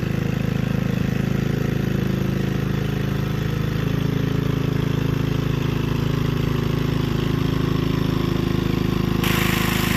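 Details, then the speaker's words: Gilson rear tine tiller after recoil cleaning, fuel seeping at tank/carburetor seam: even steady single-cylinder chug about three beats a second, holding speed under tilling load; running fine. "Alright, go ahead, get her. She ain't pretty, she works."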